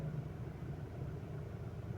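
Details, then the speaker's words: Ford with erratic RPM, limp mode and rough cold start, restarted warm after about 10 seconds key-on: low rumble with a slightly uneven, shaky beat; rough idle, suspected low fuel supply pressure (fuel pump or relay), unconfirmed. "Ito paandarin natin. Ayan oh. Nanginginig na naman. Ayan oh."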